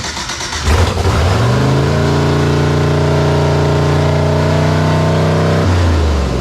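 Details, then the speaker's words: LS-swapped Chrysler Conquest, first startup, carbureted with electric choke kit, suspected vacuum leak; flares and hangs at steady high rev for seconds, throttle linkage not returning to idle; high idle, cause not confirmed. "something's not letting the rest of this go back to idle. That's why I hit it a couple of times."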